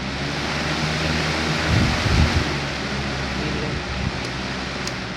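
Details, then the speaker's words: Old Lakewood 200-series box fan (possibly model 201) running on high: steady even whoosh of air with low motor hum, no ticking, scraping or wobble; bearings good, normal running. "It moves a good enough amount of air on low to do its job. Bearings are great. Spin down time is good for a base blade."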